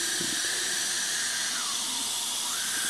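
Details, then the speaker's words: Craftsman self-propelled mower, 6.5 hp Briggs & Stratton, leak-down test at 40 psi holding only 25 psi: loud steady air hiss escaping at the exhaust, so the exhaust valve isn't sealing; bad valves or valve lash. "you can hear the difference in the tone so it's definitely some wee thing coming out of the exhaust valve so bad valves or valve lash"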